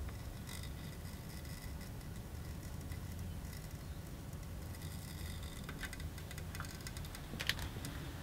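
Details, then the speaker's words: Eaton AFDD test circuit with heater at full power: irregular bursts of sharp crackle and sizzle over low hum as contacts arc, yet the device does not trip. "another thing here though but there was definitely some arcing going on in there the thing is not tripping heaters on at full power"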